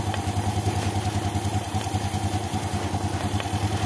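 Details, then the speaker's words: 2014 Yamaha Jupiter Z1 with cold-engine complaint: light regular ticking clatter about three times a second over idle, traced to the crankcase breather hose clogged with dirt and water, not inside the engine. "suara kletek-kletek ternyata berasal dari ini ya senang pernapasan ini biasanya kotor karena terus jadi"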